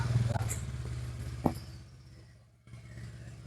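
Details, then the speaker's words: Old Honda Vario CW scooter that had lost ignition, after the CDI was replaced: the small single-cylinder engine ticks over with a soft steady putter that dips and picks back up, running normally. "Nah ya sudah jalan"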